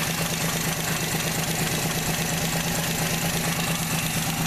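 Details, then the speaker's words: Pre-1981 Mopar Slant Six with solid lifters, lash set hot at .010 intake/.020 exhaust: smooth idle with light, steady valve tick about two per second; normal solid-lifter clatter, engine healthy. "but one thing to remember is if you ever hear an SL 6 making this noise and you know that it's a solid lifter or you don't know um find out"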